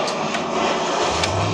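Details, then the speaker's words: Abandoned 2014 Toyota Tundra, sat 5 years, after ignition cylinder replacement and locksmith key programming: brief whoosh, then engine catches and settles into a steady low idle within a second; quick, clean start. "Fires right up. Fired right up."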